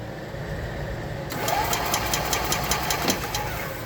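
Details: 2021 E-Z-GO Express L4 EFI golf cart: starter cranks at a steady whirring pace, about two to three turns a second, but never catches; cranks, no start, cause still being diagnosed.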